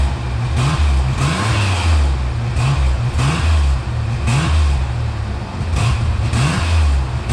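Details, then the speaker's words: 1988 Ford Bronco II with new muffler test-fitted unclamped: deep, even exhaust rumble rising and falling cleanly, no whoosh or rattle; previous exhaust noise gone. "All right, good news. That did take care of it."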